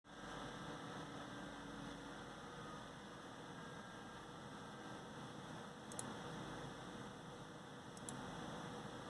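A steady, loud whooshing hum with a faint electrical buzz, unchanged throughout; this stock CPU fan is running noisier than it should.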